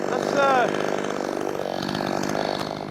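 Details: Brand-new, unbroken-in Wemars 6220 clone chainsaw, carb leaned slightly from very rich factory setting: brisk, loud high-revving buzz dipping slightly as the chain bites wood, holding strong without bogging; healthy cutting under load.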